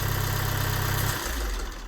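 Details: VW Amarok with the engine light on: heavy low throb at idle with a rough, knocking edge that drops in pitch as revs fall; odd noise, owner suspects a sensor, cause unclear.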